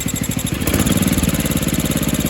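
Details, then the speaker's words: 1976 Sears ST12 garden tractor single-cylinder engine, running well after PCV repair: steady high-pitched squeak over the idle thump, mainly at idle and less noticeable at high RPM; not the PTO cover; source unknown, owner suspects the head gasket. "I just really don't know what the squeaking noise is, so it only really does it at idle, too."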